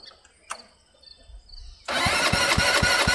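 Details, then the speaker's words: 2019 Dongfang four-seat go-kart, left sitting over a year, battery recharged, fuse fitted, some bad fuel drained: after a pause the starter cranks at about four even beats a second with no firing; turns over but won't start. "cranking it's a good sign keep doing it yeah keep trying"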